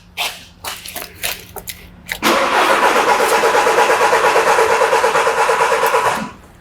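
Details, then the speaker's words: Diesel vehicle cranking with the pump volume control valve fuse removed so it won't start, pressure transducer in the tailpipe: a few clicks, then steady starter churn at about three even pulses a second for four seconds; even compression, normal cranking. "If you think about the load on the starter motor As the piston rises on the compression stroke The current draw from the battery increases"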